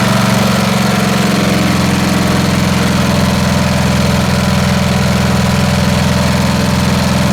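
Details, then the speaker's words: Snapper SR-Series mower, 10 HP Briggs & Stratton single-cylinder stored 10 years, aftermarket Amazon carburetor being tuned: uneven thumping idle with skipped firing, missing from exhaust side and backfiring, probably lean though not smelled lean. "so you see what's happening right it's still it's still missing from the exhaust side and that's probably lean although i don't smell it as lean and then we get it back firing out of this side"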